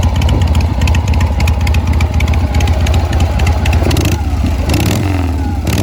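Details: Harley Shovelhead V-twin just after a new clutch, new spark plugs and a charged battery, before a test drive; loping V-twin beat with a deep exhaust thump at about 220 pulses a minute, steady and strong; normal idle.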